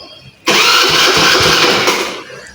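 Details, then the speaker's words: Handmade petrol motorcycle with hand-built mag wheels and tank, kick start: a short rushing spin of about two seconds that dies without catching. Cranks but won't start; air in fuel line suspected, petrol present. "મિત્રો પાછી try મારી પણ હજી ઉપડતી નથી."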